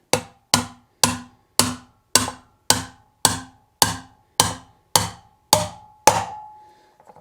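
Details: Adventure motorcycle wheel bearing being driven into the hub with a bearing driver: evenly spaced hammer taps about two a second, the last ones ringing with a clear sustained tone as the sound changes, showing the bearing has seated.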